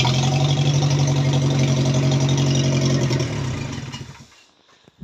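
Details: 316 turbo project after removing the cylinder head twice, started without coolant: engine fires and holds a steady even low beat about three seconds, then cuts out; normal start and run.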